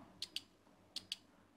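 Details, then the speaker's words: 4-pin automotive relay bench-tested with a lithium battery, positive to pin 86 and negative touched to 85: crisp paired clicks three times in under two seconds as the coil switches; relay working normally. "that's the clicking that means the really is working"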